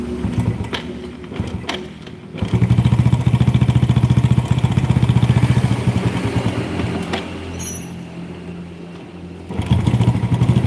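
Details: Yamaha Force motorcycle at idle: loose clunks rattle three to four times a second and grow louder with revs, traced to worn clutch housing damper rubbers.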